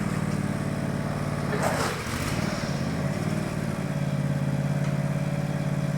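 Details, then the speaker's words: Countax ride-on mower/tractor after transmission rebuild refilled with 75/90 fully synthetic gear oil, first drive; steady low single-cylinder drone pulling away smoothly, no knocks, clunks or grinding from the belt drive: normal running. "Success, it's alive. It actually works remarkably well."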